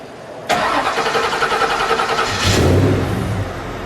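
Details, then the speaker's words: 1937 Ford 2-door custom restomod, brand-new 500 HP V8 and transmission, won't start until oil pressure builds: brief crank, catches cleanly with quick flare, settles to steady even idle; normal start and idle. "Let's fire it up. Okay. One feature that you don't normally see in cars like this, the motor will not start till there's oil pressure."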